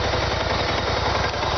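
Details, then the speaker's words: 2013 BMW C650GT scooter at idle: steady, fast, lumpy thrum, rough-sounding as if low on oil, but owner checked and oil is full; even pulses, no knocks or ticks; normal idle. "And the noise, like, I like it, but it is a really rougher sounding engine. It almost sounds like you're low on oil."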